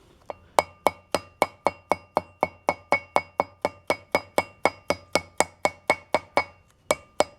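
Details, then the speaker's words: 1992 Ford F-150 front wheel bearing job: new inner bearing seal tapped in with a brass hammer, steady dull thuds about four a second turning sharper when the seal bottoms out and the hammer meets the rotor assembly. "Sounds like a dull thud while while it's going in. And hear it get to a sharp type of sound whenever it's bottomed out. That's from the hammer making contact with the rotor assembly."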